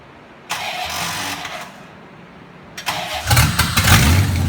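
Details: 1991 Corvette L98 (C4) started for the first time in about three years during a kart build, vacuum lines partly blocked off: cranks briefly, catches and settles into a steady idle with light blips; starts and runs fine, though fuel lines later found leaking.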